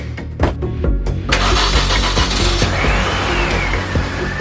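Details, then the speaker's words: 2004 Mini Cooper S R53, stored five years, after a smoke test for a suspected vacuum leak causing surging idle: starter cranks and the engine runs unevenly briefly, then settles into a steady smooth idle. Normal idle. "At first, I kind of got a little worried, but then started to level off. Now, I'm going to go ahead and speed up the video here, but through this entire thing, it idled perfectly."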